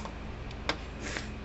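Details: American Farmworks 120 mile fence charger on the bench, its indicator light no longer flashing; one sharp click over quiet room hum, a single pulse. Normal pulsing.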